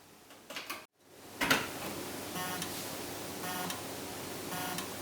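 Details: Toshiba 2 TB USB 3.0 external hard drive; repeating bursts of sharp ticking about once a second, never spinning up, a click of death from the enclosure's insufficient power, drive itself still fine.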